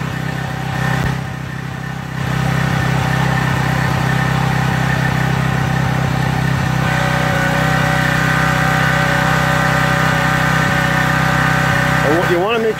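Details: Craftsman 2700 PSI pressure washer with Briggs & Stratton 275cc OHV on a water test after pump flushing: a heavy, low, dragged-down drone. The unloader isn't working so the engine loads down; the jet may also have been taken a little too far.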